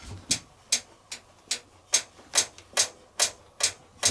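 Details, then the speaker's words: Logik L814WM20 8kg 1400-spin washing machine, drum rocked by hand: sharp bright clicks about twice a second, a poorly fixed third damper mounting knocking against the case, a build-quality issue with no fix. "You hear that clicking? There's nothing I can do about that, unfortunately. And unfortunately, it's a build quality issue. The machine has 2 dampers as normal, and they have like a bridge up like that, pin in, and that holds it to the case. But then it has a 3rd damper, right?"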